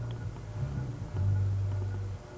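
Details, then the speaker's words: Con Tech industrial ceiling fan, cast iron motor on solid-state speed control at low setting around 0.3–0.4 A: steady low hum with slight buzz that swells and settles. Mild motor hum and buzz, not loud, acceptable. "I hear a little bit of hum and buzz, but it's not really bad. It's really not bad. It's not really loud, so it's okay on a solid state."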